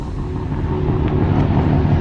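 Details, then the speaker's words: Mazda RX7 with freshly rebuilt bridgeport 13B rotary by Rotary Motorsport: deep choppy uneven brap at idle, low and lumpy but steady, felt in the chest; normal bridgeport rotary idle. "so damn cool! So angry now. I can feel that in my chest."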